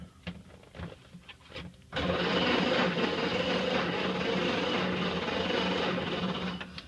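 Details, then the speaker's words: 1931 Ford Model A, 6-volt on battery charger, unstarted 10+ years in barn, carb cleaner squirted, crunchy points cleaned; starter churns about four beats a second, never fires; crank-no-start, no ignition spark. "of course it didn't start last time and I've worked with it and it wasn't firing and cleaning the points and everything it still wasn't firing"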